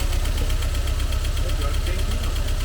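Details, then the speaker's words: Mercedes-Benz 190E Cosworth 2.3 16v idling with cylinder 1 showing 0 compression: regular lumpy beat with a dropped pulse each cycle; misfire, suspected stuck piston ring blowing by. "so it’s a good test and you can see here that the car is missing a cylinder."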